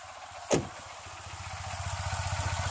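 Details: Tata Nano after idling following a cold start, having stood one day. After a brief click the small engine settles into a steady, even low putter with no knocks; normal warm idle.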